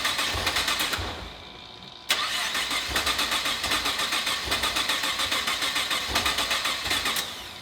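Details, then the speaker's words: GTR on its first start after a rebuild for a blown head gasket with the engine fully taken apart, fresh synthetic oil in: steady starter cranking at about four pulses a second, interrupted once, but it never catches. Crank, no start. "so Junior's troubleshooting right now figuring out why it's not starting for the first shot"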